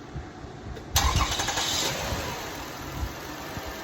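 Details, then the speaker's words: 2004 Toyota Sienna 3.3 V6 first start after timing belt, water pump, plugs and valve cover gasket job, no coolant, alternator belt off: short crank, catches cleanly and settles to smooth, even idle with no knocks or misses; normal start. "yeah okay sounds good sounds really good"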